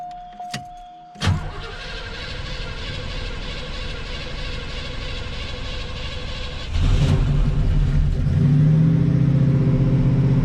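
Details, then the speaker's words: 1986 Oldsmobile Cutlass 442 V8, first start after installing a rebuilt eBay Quadrajet carburetor replacing one that cranked long and idled rough: short crank, fires promptly, smooth even idle that came right down, picks up cleanly; runs best ever. "Thing is good so far. I'm impressed. Idle came right down to where it should be."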